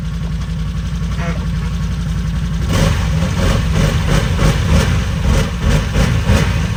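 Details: 2020 Can-Am Defender just fitted with a used 2019 X3 transmission (25% gear reduction), started in park: engine catches and settles into a smooth, steady idle with an even low beat, no knocks or grinding; normal idle.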